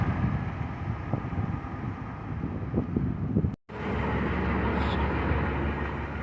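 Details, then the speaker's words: TCM FD-80 forklift with Isuzu diesel, high-mileage, bought cheap: low, even diesel chug at idle with some wind noise, runs pretty good and no cylinders leak; normal, healthy diesel idle. "runs pretty good for five grand none of the cylinders leak on it"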